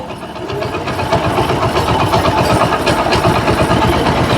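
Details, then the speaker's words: Hero Splendor single-cylinder motorcycle after a timing chain and roller replacement, kick-started: even idle thump about four per second with no ticking or rattle from the timing chain; the engine sounds healthy. "दोस्त, हमारी bike अब आवाज ठीक है।"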